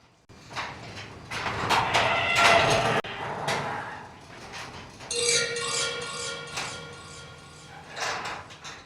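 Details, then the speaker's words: Garage door closing: it rattles and lets out high, wavering squeals and howls, coming mostly from dry hinges that carry the rollers; fixed by lubricating them. "You can just hear it kind of howling a little bit, just sounding unhappy. And 99.9% of that noise is coming from your hinges on the garage door."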